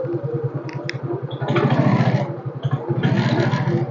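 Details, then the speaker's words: Yamaha X-Ride automatic scooter with heavy pull and slow response, which started better after a new plug and plug cap: a steady low rattle under the engine grows louder on throttle. Mechanic suspects a damaged CVT roller housing, but the cause of the weak pull is unconfirmed. "suaranya itu seperti rumah roller yang rusak ya tapi kita belum tahu apa yang menyebabkan motor ini tarikannya berat"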